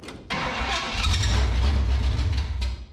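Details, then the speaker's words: 1967 Pontiac Firebird abandoned about 15 years, fuel fed by squeeze bottle: cranking catches into a brief rough low burble that sputters and fades out, possibly not getting enough fuel; fuel starvation. "she sounds like she's running when she's running I don't know if maybe she just ain't getting enough fuel go ahead well she's trying to run"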